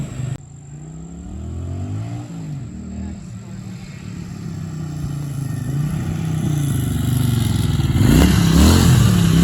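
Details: Barn-find Honda SilverWing GL500 that sat outdoors for decades, revived and cleaned up with a new key and valve stem: it picks up and runs on its own with a low throbbing beat that rises with throttle blips. Normal running.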